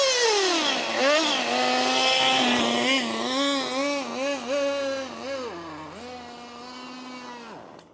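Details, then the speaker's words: HPI Racing MT2 4WD nitro RC truck, long unused, just started after priming: engine revs up and down unevenly with a wavering, sagging pitch; rough running, thought to be a bit clogged and needing work. "Well, I'm going to go with the fact that it's just not been up and running for a while. It's starting okay. A bit clogged."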